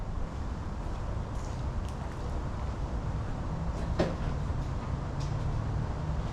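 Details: Jeep XJ with a 350 V8 swap and new full exhaust, after valve work fixed its dead, missing cylinders: low, steady rumble with an even beat and no stumbling or dropouts; now idles smoothly on all cylinders.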